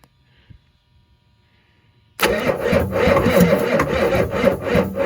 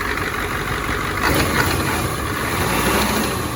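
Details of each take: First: 1986 Ford F350, 7.3 IDI diesel core engine on first start attempt using ether, battery 12.6 V, injection lines still being bled. Slow, labored, uneven cranking at about four beats a second, no fire; owner suspects ether lock. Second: 1986 Ford F350 dually, 7.3 IDI diesel with ATS turbo kit, run in neutral. Steady even idle clatter with no misfire, light belt chirp from a loose alternator belt; possibly a little air in the fuel. Runs smooth.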